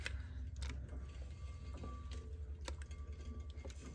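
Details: Rattling at the hubs of a CJ-2A Jeep's axle while the wheel is turned slowly by hand during inspection, first thought to be hubs or wheel bearings: quiet, uneven light metallic rattles that are just normal brake noise.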